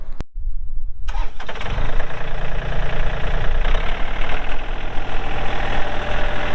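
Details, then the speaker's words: 2003 John Deere 4410 compact tractor loader backhoe, 34HP pre-emissions diesel, hydro, 4WD, 549 hours: starter cranks briefly, then the engine catches and settles into an even, steady low idle with no knocks; normal start and healthy idle. "We'll get that hood shut. We'll fire it up and get right into an operational video."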